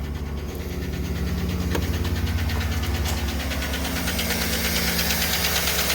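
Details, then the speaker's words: 2008 5.3 V8, started fully cold, oil pressure 40: light steady ticking about three per second at idle from lifter noise, a common problem on these engines; collapsed lifter tick. "estamos viendo la presión de aceite 40 que lo normal de aprenderlo pero prende con ruido"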